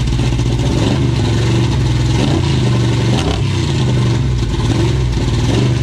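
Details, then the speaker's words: 1970 Dodge Charger 383 V8 with oversized 950 Holley 3-barrel carb, carb settings not yet adjusted: loud, lumpy, stumbling beat with rough revving; flooded and running very rich. "It sounds pretty cool, but the engine ain't running real good. It's pretty flooded, and I ain't had time to dig with the settings on the carburetor, but we're gonna fire it up one more time for you."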